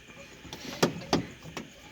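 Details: Suzuki Carry Futura, steering column coupling rubber just replaced: a few sharp creaks as the wheel is turned left and right, quiet between; the new rubber should settle after lowering off the jack and a road test.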